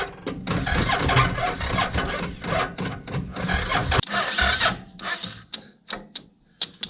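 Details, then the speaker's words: Homemade go-kart/buggy with Suzuki VX800 motorcycle engine, won't fire: ragged cranking bursts that never catch, growing shorter and weaker with gaps as the battery dies. "And now the battery's dead again. Yay, this is so much fun. I couldn't get it to work."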